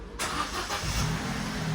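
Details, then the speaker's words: 2010 Vauxhall Corsa D, 91,000 miles, salvaged from scrapyard: starter catches almost instantly, engine settles to even steady run with no knocks or rattles; normal start-up. "Sounds lovely."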